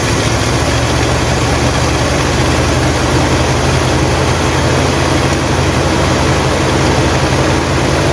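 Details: 1958 Buick Super's engine at steady, even low idle after its first start since being abandoned, oil pressure good and charging; smooth unchanging beat, no knocks or stumbles, running healthy.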